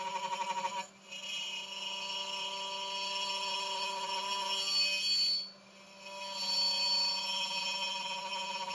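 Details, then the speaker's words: Genmitsu 3030 PROVer MAX desktop CNC cutting aluminum in a mini vise with its 300 W air-cooled spindle: high cutting whine with harsh buzzy vibration, dropping out between passes; chattering cut. "the sound is a bit high and you can hear some vibrations as this kind of air cooling 300 WT spindle is not that powerful but let's see how it works"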